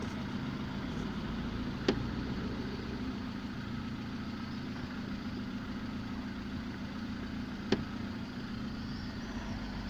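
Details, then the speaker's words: Lada after gearbox repair replacing input shaft bearings (6801), clutch pressed: steady even low idle, sound unchanged, only two faint clicks, no knock; the gearbox no longer knocks, normal idle. "выжимаю сцепление звук не меняется стука нет коробка не стучит"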